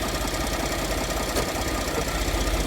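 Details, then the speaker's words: 2014 Ford F-150 3.5 L EcoBoost, warmed up, idling in gear; rough knock heard from under the truck where the crankcase meets the transmission; oil pressure good, no knock when cold. "It's starting to knock now. All right, baby, I'm climbing under the truck. I found that it knocks where the crankcase meets the transmission."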